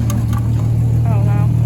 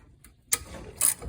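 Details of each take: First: 1963 Ford Falcon Futura, 170 inline-six, after a new radiator, water pump, alternator, carburetor, plugs, wires and ignition switch, following 25 years parked. Steady, even low rumble with no knocks, misses or surging before shutoff. Normal running. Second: 1963 Ford Falcon Futura, 170 inline-six, parked 25 years: the removed old water pump, turned by hand, gives brief gritty ratcheting scrapes. The bearing is shot, and the pump had been leaking coolant.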